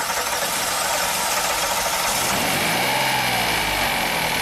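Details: 2016 Hyundai Santa Fe, originally heading in for a P0018 timing code, suddenly ran very poorly with massive blue smoke; spark plug on one bank soaked with gas; uneven, lumpy idle under loud hiss, brief rev; rough idle from low cylinder compression.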